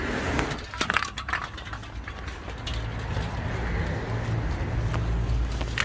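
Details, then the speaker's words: Project car with no fuel filler neck, first start on battery: decent compression, runs briefly with a low uneven rumble only on starting spray; fuelling issue, owner suspects empty tank or no fuel pump. "there's the answer if you want to drive this car fill it up with easy start engine sounds nice as well so it's obviously some sort of fueling issue"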